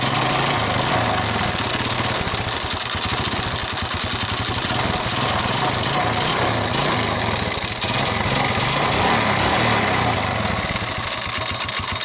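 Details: 2006 Yamaha Vega R New with a sticky kick starter: harsh, uneven mechanical clatter over the exhaust beat; rough engine noise, crank or bearing area suspected before engine teardown.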